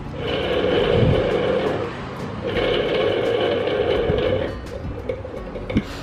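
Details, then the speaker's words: National household water pump with weak water delivery, running on the bench: rough, gritty hum and rasp that never smooths out, worn motor bearings (6290/6291) need replacing. "lain suaranya Udah Kasar banget"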